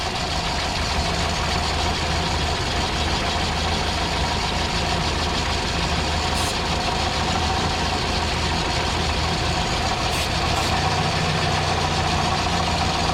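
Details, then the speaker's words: Mini truck running hot (210, 220 °F with AC), idling after an empty vacuum line was plugged: steady but unsettled idle with a constant airy hiss; still some vacuum leak among many lines, source not yet found. "You can still hear a little bit. But not as bad. Yeah. Yeah, there's a whole rat's nest of vacuum lines, so could be any of them."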